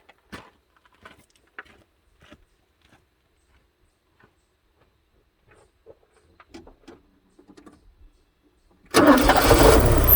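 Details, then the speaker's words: 1984 Porsche 944, first start after a crank-no-start (no spark; owner suspects the DME/fuel pump relay): the engine runs with a loud, shrill belt squeal that shifts pitch with revs. "there's a belt squeal going on here"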